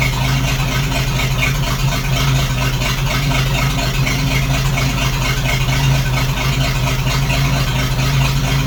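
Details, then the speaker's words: 1941 GMC one-ton pickup, 230ci straight six, first start after 15–20 years: steady, even idle with a smooth low beat, no skips or stumbles; no cylinder sounds missing, running healthy. "[Music] that's good stuff [Music] don't sound like there's one cylinder missing"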